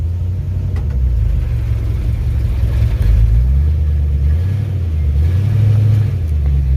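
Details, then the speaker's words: 1965 Mustang "Truckstang" with rebuilt C4 Cruise-O-Matic transmission, after the vacuum modulator fix: forward gear engages cleanly with a deep steady drivetrain rumble rising and falling with throttle, no slam or slipping; works as designed. "got our forward gear as well so all that stuff works as designed"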